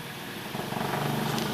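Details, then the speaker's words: Late-1920s Victor Jr electric fan, first run in decades after a rusted-solid motor, temporary wiring, bent blades, no guard: motor hum climbs as it spins up with a rhythmic wobbling pulse. Blades off balance; motor works. "okay kill it blades off balance but that's okay that's to be expected the motor works"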